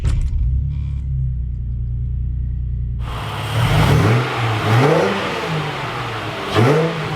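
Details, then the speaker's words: Ford BA Falcon with naturally aspirated Barra engine, after fitting a new Walbro fuel pump into the old assembly: after a quiet priming stretch it fires and runs smoothly, revving cleanly with no knocks or misses. "Everything seems to be working as it was, so we did something right."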